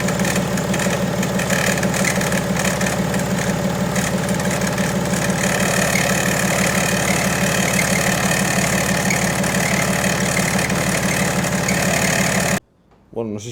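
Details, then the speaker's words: BMW E90 325d/330d with M57 diesel at idle, accessory belt that chirps when cold, belt sprayed with water: the fine chirp disappears and an even, pulsing, louder knock appears, typically tensioner bounce. "sé si se aprecia bien el vídeo pero el grillo ese fino que sonaba previamente al mojar la correa desaparece aparece otro ruido mucho más notorio que normalmente suele ser de rebote del tensor"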